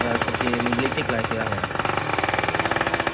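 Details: Kawasaki Ninja two-stroke with new Super Cobra exhaust, revs held high: fast crackling pulses with a sharp dry rasp; running lean ("dry") after the exhaust change.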